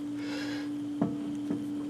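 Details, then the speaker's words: Honda Civic EG with the wheel grabbed and rocked by hand: sharp clicks about twice a second with visible tire movement and inner tire wear, from worn front suspension or steering play; front tie rods, ball joints and bushings replaced. "hear that clicking you can actually see it back there you see the tire out there there's a lot of movement to it"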